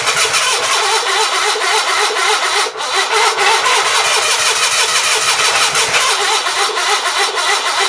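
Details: Onan B43 twin after new rings, battery charged overnight, fuel fed from a hand-held jug: steady starter churning at about three and a half turns a second with no firing. Owner suspects juggling the jug, choke and throttle is half the problem.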